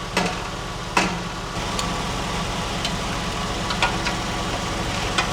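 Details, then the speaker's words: Porsche 996 at idle and off throttle: smooth idle broken by irregular sharp tinny rattles roughly once a second; owner suspects the exhaust moving or something loose in the muffler, mounting studs checked tight. "Isn't the exhaust right? Like when you hit that moves this way. It almost sounds like it's in the muffler."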